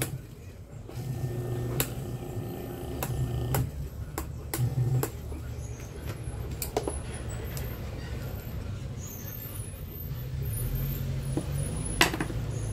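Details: Mallory oscillating fan motor after replacing the rear bearing bushing, motor closed and tested on mains before refitting the oscillating gearbox; steady low hum, few handling clicks, no rattle or scraping; runs smoothly.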